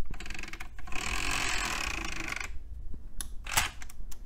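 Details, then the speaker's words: DVD drive from an old late-1990s Dell system, after refitting a loose gear and cleaning the open/close sensor switch with DeoxIT: the tray now stays closed, but a loud rattling gear whir lasts about 1.5 s. The tray gears are noisy. "okay well at least stays closed now [Music] those gears sound terrible"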